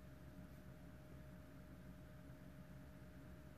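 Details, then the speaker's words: BMW 118d non-starter with no DDE (engine ECU) communication, ignition on for the first time: faint steady hum of the in-tank fuel pump keeps running long after it should have stopped priming. "let me wait because I can hear the fuel pump in the tank carry on going"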